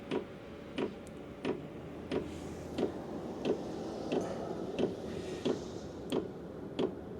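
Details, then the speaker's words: Heater powered from the Anker Solix F3800 Plus DC output (about 146 W, 11 V) during startup after the glow plug kicks in: crisp, regular ticks about every two-thirds of a second over a quiet fan, the fuel pump kicking on and metering normally. "The fuel just kicked on. You can hear it tapping."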